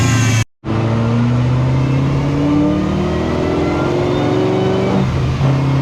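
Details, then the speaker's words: C7 Corvette Z06 on dyno with methanol injection (Boost Juice) after timing and fuel adjustments, boosted V8 pulling hard with a ragged uneven exhaust edge; misfire under load, cause unknown. "so we adjusted some timing we adjusted some fuel it is having a misfire on the dyno which could be a number of things"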